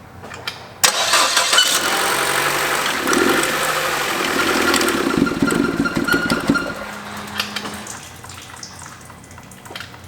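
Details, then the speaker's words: 2014 Chevy Cruze LT/RS with engine damage, cracked turbo oil return tube, oil in the intercooler: cranks and catches, then a lumpy, wavering, uneven idle before shutting off. Runs rough with the intercooler disconnected. "Yeah, I'd say that's broken. Doesn't run very well with the intercooler disconnected."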